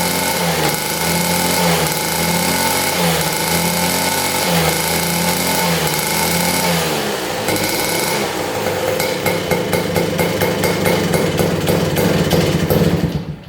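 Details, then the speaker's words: Rare 1950s German scooter two-stroke, probably unrun about 50 years, good compression: crisp buzzy engine pulls cleanly as throttle swings up and down, then fades out when throttle closes instead of idling; runs but won't idle. "Well, she runs. That sounded amazing too. We just have to get this thing to idle."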